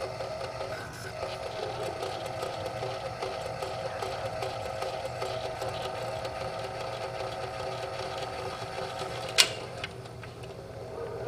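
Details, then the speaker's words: Curtis Mathes combo unit record changer after cleaning and lubrication: steady motor drone with a faint recurring thump as it turns; the hardened, worn idler wheel has a flat spot and poor grip, needing a rebuild or replacement. "That idler wheel is just completely got a flat spot and worn out. And it's not getting good and very good grip at all."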